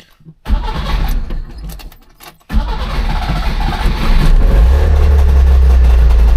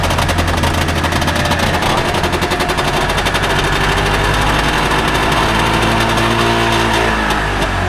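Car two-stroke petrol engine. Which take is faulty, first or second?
first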